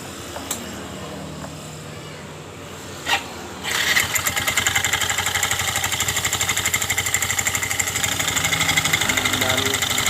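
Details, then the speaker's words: Yamaha Mio M3 scooter, poorly serviced, rough noise from the left CVT case, case opened with heavy oil seepage: restarted with a rough, rattly idle and uneven clatter from the front pulley. The rollers are worn. "kita menghidupkan kembali suara kasar itu di bagian puli depannya ini"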